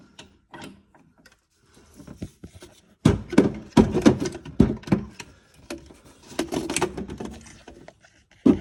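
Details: LG GT2 coilover, wheel off, axle raised and lowered slightly with a jack: irregular sharp clicks and thunks with each load change; noise first after driving then persistent, stopped after lubricating the coilover.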